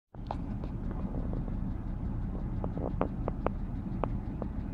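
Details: Engine idling on a chilly morning, about 15–20 minutes after start, oil level unchanged: sharp, irregular ticks a few per second, loud from 6 feet away. Cold idle ticking or knocking, cause unknown.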